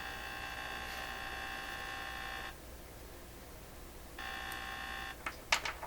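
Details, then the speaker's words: 1928 RCA Victor Model 28V radio setup, grounding the signal tracer cabinet to a true ground: a steady coarse buzz drops out for under two seconds, then returns. Owner suspects the house neutral fluctuating relative to earth; cause unclear. "the neutral in this house is fluctuating relative to the earth, and that's creating electrical pressures, if you like, or fields, and my radios are picking up these fields."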